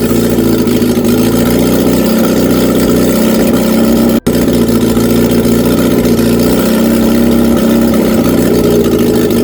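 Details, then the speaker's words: Reliant Regal Supervan 3 engine on workbench, first run after swapping two crossed leads; steady, even note with firm low hum, no misses or knocks, cut off quickly to avoid running away. Normal running. "hey first run oh yes I've cut it off because I didn't want it to run away that is awesome"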